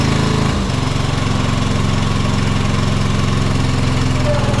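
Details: John Deere 425 riding mower, Kawasaki twin, bogging under load or in thick grass; fuel verified good: note drops into a lumpy, uneven, powerless beat, running on one cylinder; dead cylinder from failed ignition coil.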